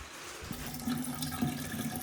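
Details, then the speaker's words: House water line turned back on after repairing a burst pipe, with old clogged pipes: thin steady hiss and faint trickle, no strong gush; low water pressure, likely from clogged pipes. "Definitely not very much pressure, which is kind of surprising. But not surprising because, well, you guys have seen how clogged our pipes are."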